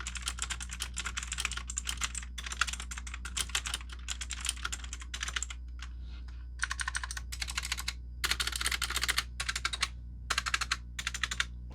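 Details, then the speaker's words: K400 TKL 80% mechanical keyboard, EC-branded clicky blue switches, double-shot ABS keycaps, typing test; sharp clicky keystrokes with lots of rattling and spring pinging typical of budget keyboards. "you can hear there's a lot of rattling and pinging there that's what you can expect for like these really low budget keyboards here"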